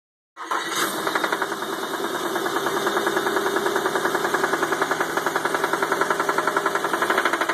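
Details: 1995 Nissan Pathfinder VG30E 3.0 petrol V6 with hydraulic lash adjusters, starting then idling: steady, even knock about three to four beats a second; owner wonders about rod knock, bearing or a faulty knock sensor, cause unconfirmed.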